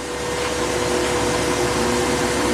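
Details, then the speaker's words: New grain dryer fans being started one after another: steady even rushing airflow with a constant mid tone, building as the fans come up to speed, all firing normally. "the bottom one definitely fired oh now they're all going they're all jumping"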